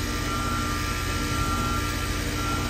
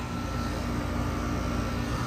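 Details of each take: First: Goodman heat pump in heat mode, not heating, on R-410A; outdoor unit hums loudly with a rough, labouring drone and sounds terrible; another tech had added about 4 lb and leak dye; off pressure low; leaks found in outdoor coil, brazed, 13 lb recharged. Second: Goodman heat pump after outdoor-coil leaks were brazed, system vacuumed and recharged with 13 lb of refrigerant; runs in heat mode with a steady even hum and faint constant tone, no knocks or rattles; normal running, follow-up likely on a warmer day.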